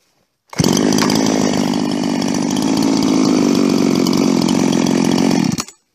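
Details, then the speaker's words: Husqvarna 350 chainsaw "Fugly" with Huztl top end, back after months on the road and field repairs (gas leak fixed); revs crisp and steady at high speed, no bogging or surging, clean even tone: healthy normal running. "It's healthy again. Wish I had a stand for this damn thing. Maybe I'll set it up in a log pile. Just so you can hear Fugly run."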